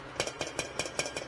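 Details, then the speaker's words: Removed old compressor from a roughly 35-year-old custom wine cooler: sharp metallic clinks about five times a second over faint hum, something loose striking the housing; technician suspects a broken internal support spring, compressor replaced. "something a broken spring or something in there you can hear that it's heading right up against the housing"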